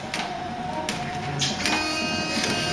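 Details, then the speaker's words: Ford Cortina Mk3 GXL automatic, rain-sensing automatic wiper system test: steady repeating wiper sweeps with soft motor hum and regular stroke clicks, wipers finishing their overrun cycle evenly; normal operation. "and here the wipers on automatic and have stopped to finish the cycle and he dribbles arraigned I'll go across the pad it may pick those up but at the moment nothing"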